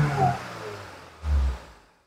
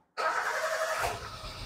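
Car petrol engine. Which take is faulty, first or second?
first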